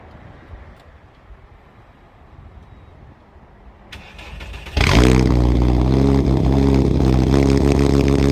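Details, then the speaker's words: Turbo VW Rabbit 2.5L with a C2 turbo kit and a 2.5-inch catless downpipe, no resonator, muffler deleted: cold start fires into a loud, raspy, rapid drone that is brutally loud at first. Straight-pipe exhaust leaking at the flex joint. "So yeah, it's definitely really loud when you first start it up. The cold start on this thing is pretty brutal. It just has a lot of volume, and it's a little too loud, honestly, on an initial start."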